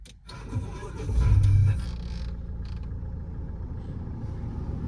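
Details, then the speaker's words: Mahindra XUV500 with the 1.99-litre diesel, push-button start; a short crank, quick catch, then a low even idle with no knocks, vibration or rattles, a clean normal start. "कोई vibration नहीं कुछ कोई engine की noise नहीं कोई मैं कह सकता हूं पावर लॉस फुल नहीं हुआ है"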